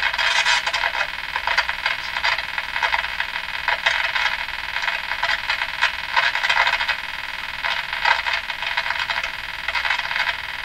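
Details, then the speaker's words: Canadian Westinghouse Model 577 tube radio: steady scratchy crackle with irregular pops while turning the tuning capacitor, suspected DC flowing through the capacitor as its contacts rub, making and breaking. "so what I think is happening here is I think there's DC trying to run through this this capacitor and as you as you turn it and the contacts kind of rub a little bit there there's a little bit of a Makey Breaky thing going on there"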